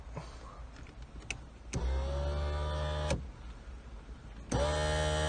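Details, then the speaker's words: Rover 820 Si sat for 20 years, under restoration: pressing sunroof button gives two short bursts of steady motor whirring with clicks at start and stop, no strain; motor and electrics work but sunroof doesn't move. "you can hear the motor, the electrics are working, but the sunroof isn't moving."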